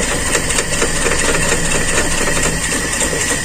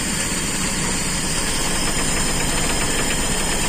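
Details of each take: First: Carbureted Toyota Kijang limping and shaking badly; uneven idle with a loose stumbling beat of about two pulses a second, cylinder one not firing, caused by a torn vacuum hose on the intake. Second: Toyota Kijang carbureted engine after fixing severe limping, shaking running: steady even idle with no stumble or misfire shake, running smooth and settled; normal idle.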